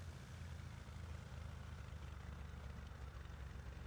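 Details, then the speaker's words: Light aircraft with a constant-speed propeller, fuel primed, mixture rich and throttle a quarter inch open, started and idling at about 1000 rpm: soft, even drone with a steady propeller beat and no roughness; normal idle. "okay we gotta fire it up and we're gonna idle at a thousand rpms"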